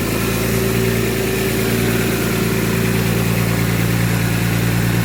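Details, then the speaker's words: BMW S54 after a valve adjustment that brought one out-of-spec valve back into spec, started in about 90°F ambient: an even, smooth fast idle with a steady low hum and no ticking. The idle may still sit a little high. "let's see how she sounds wait for the idle come down but as of right now there's no more ticking at all"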